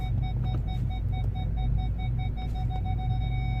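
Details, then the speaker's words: Ford Galaxy final test after repair (fault B1B53 cleared), engine idling, first gear: front sensor's mid-pitched beeps quicken as obstacle nears, then hold a continuous tone; problem fixed, working properly. "So he's not beeping at the back anymore, and he's beeping at the front. Can you hear that?"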